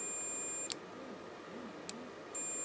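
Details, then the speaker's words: Suzuki GSXR 1000 front brake light switch on multimeter continuity: clean steady high beep cutting out and returning as the switch opens and closes; it works. "but that does seem to be fine now a little bit more fluid in it"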